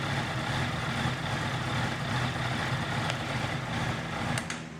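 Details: 2018 Honda CBR650F on a cold start; uneven, lumpy idle with a stumbling beat of roughly two to three pulses a second; misfiring rough idle, cause unknown.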